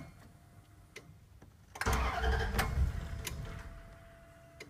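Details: 2000 Dodge 3500 showing "no bus" on the dash, tested with swapped ECMs: quiet ticking, then about a second of cranking that never catches. No-start that a new fuel pump didn't fix; owner suspects the engine computer.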